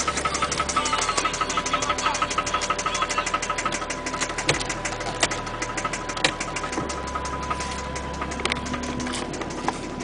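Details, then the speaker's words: Toyota Cressida with 1JZ engine, low on gas, driven under full throttle without reaching boost: sharp rapid metallic rod knock over the engine note; it still drives but knocks real bad. "um knocks real bad uh as you can see this is about as fast as uh as hard as you push on the gas it doesn't really hit boost but it dries and it knocks"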